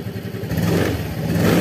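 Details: Yamaha Fazzio scooter (made March 2022) running just after a start on a recharged battery at 12 V, charging about 13.8–14 V: picks up smoothly with an even, low exhaust beat, no misses or clatter; normal running.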